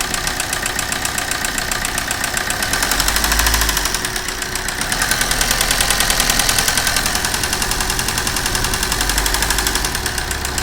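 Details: Maruti Suzuki Ritz with an engine noise problem. Sharp, even tapping keeps time with the idling engine, swelling slightly as revs rise and fall; persistent knock, source unconfirmed.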